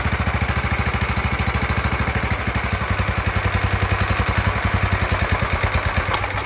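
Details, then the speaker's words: John Deere LT160 lawn tractor repowered with a Kohler engine, after mechanical fuel pump and filter repair and a new carburetor: even, steady single-cylinder putter with no pops or misses; runs fine, idle speed still needs adjusting. "so far so good seems like it runs fine uh as you can hear there's nothing that sounds like it's um popping or anything like that"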